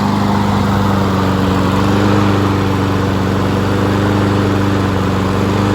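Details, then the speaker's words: Honda HRN216VKA lawn mower being run dry on TruFuel for winterizing; engine speed hunts and surges slightly, then begins to falter and die as the carburetor runs out of fuel: surging from fuel starvation. "The HRN216VKA has been a great mower for about, you can tell it's surge, and then it's starting to die."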